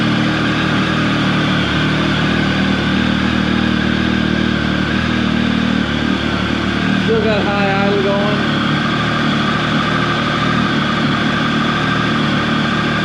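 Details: Triumph 1050 motorcycle, about 14 years old, cold start at about 48-49 degrees: fast, steady high idle, even firing, no misses, knocks or rattles while warming. Normal cold start high idle.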